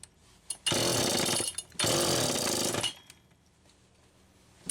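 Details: Homelite Super EZ chainsaw after replacing broken carb check valve and a new crank seal: two bursts of high, rough, uneven revving; idle speed screw set far out, still screaming. Intake air leak remains.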